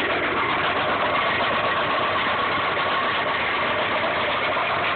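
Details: 1995 Subaru Impreza petrol engine at idle, rod knock persisting after oil change and additives: fast, uneven knock over a busy mid-range clatter, consistent with a worn rod bearing.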